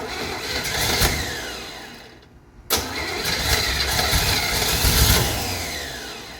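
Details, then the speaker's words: 1968 Chevrolet Camaro, 327 V8 with 4-speed, swapped Holley carburetor (about 600), mechanical fuel pump, idle not yet set: catches on primer sprayed down the carb, stumbles and sputters, dies briefly, then flutters unevenly; fuel starvation, no gas reaching the carburettor bowls yet. "I won't be surprised if it does not idle because I haven't really set any of that. Boy, it wants to, doesn't it?"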